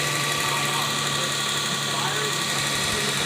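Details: Toyota/Lexus ES300 V6 that used to start and instantly die, now idling after six capacitors in the ECU behind the glove box were replaced. Steady, even idle with a smooth hiss and a constant low hum, no stumbling; it runs healthy.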